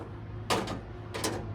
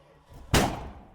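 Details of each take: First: 1979 Dodge Ramcharger V8, ex-plow truck, started after sitting 15+ years with the fuel system primed and the air filter off: clicks, brief crank, then the engine catches into an even, quiet idle with no knocks; normal start and idle. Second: 1979 Dodge Ramcharger, former plow truck, not run for about 15 years, cranked after plug work before fuel system hookup; one sharp gunshot-loud bang on cranking; backfire while cranking.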